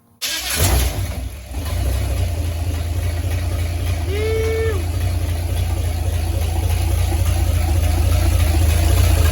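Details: Holden UC Torana first start after cranking voltage drop was fixed: engine catches at once and settles into a steady, even idle with no misses, knocks or rattles; running properly.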